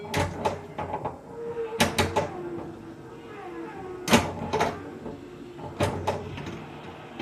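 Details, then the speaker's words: Newly acquired Bally Cybernaut pinball: sharp clacks and bursts with odd warbling tones, missing its expected background noise; sounds wrong, owner suspects a ROM for a different game or early ROM, Cheap Squeak sound board jumpered, possibly not original. "it look it sounds like it's got a RAM for a different game or something maybe one of you guys will uh recognize the sound"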